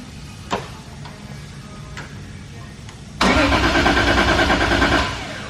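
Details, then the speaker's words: Toyota 1.5JZ engine, first start attempt after build, priming and cranking: starter turns briskly and evenly, much healthier than earlier slow cranking, good compression. "it sounds way healthier than that slow cranking one day that's good compression"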